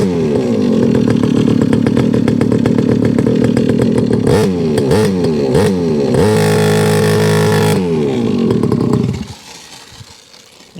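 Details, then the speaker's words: Rebo ATV quad bike just restricted to tame its power for a child: small engine buzzes and surges unevenly, dips and recovers, then dies at about nine seconds. Owner says it's not idling, possibly his own doing; will not idle, stalls. "that's not idle uh it might have been me just just uh not running on my carpet"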